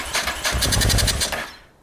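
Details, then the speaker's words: Honda NTV650 motorcycle left unused 15 years: starter whirs, engine fires a rough one-second burst then dies; owner suspects it isn't drawing fuel; engine catches briefly but won't keep running. "This is trying, God love it, it is trying."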